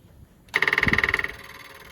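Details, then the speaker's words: Rebuilt Triumph Spitfire/MG Midget 1500 performance engine with new valve springs, rechecked after shop fire: fast, even ticking buzz about eighteen clicks a second for under a second, then quiet; normal electric fuel pump priming. "course, that noise is the electric fuel pump."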